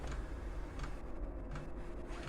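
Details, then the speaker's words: Chinese diesel air heater at startup, glow plug heating, exhaust routed through a homemade radiator heat exchanger: quiet background with soft regular ticks about every 0.7 seconds from the diesel dosing pump pulsing; normal. "and there's the uh if you can just hear that the little diesel pump pulsing away in the background"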